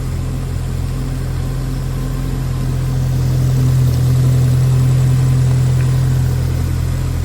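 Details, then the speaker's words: Subaru WRX STI with aftermarket cams, sitting 5 years, first cold start: a steady, even low rumble with a faint cam lope. It sounds healthy, possibly slightly rough from old fuel; no compression or leak-down test done. "Man, it actually sounds super super smooth. I mean, granted, we haven't done like a compression test or leak done test, but it does have cams, by the way. That's why it is idling."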